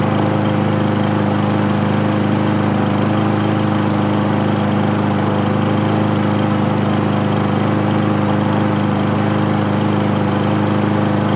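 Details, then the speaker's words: Craftsman lawn mower, first start after 9 months of storage: small single-cylinder engine running at a fast, even chug, slightly uneven, smoking heavily as expected; owner says it needs an air filter. "boy I haven't had one smoke like that in a long time def tell yeah she hasn't really been this the first time getting it out and getting it running I knew it was going to smoke"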